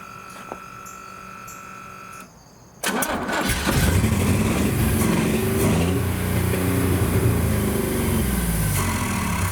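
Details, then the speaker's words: Commando truck run on starter fluid sprayed into the Sniper EFI manifold after long sitting: cranks, catches, uneven surging revs as if starved of fuel; owner suspects fuel supply, the Sniper or the lines, cause unclear. "Alright, so as you guys can hear, it is obviously a fuel issue. I don't know exactly what it is. It seems to just not be getting quite enough of it."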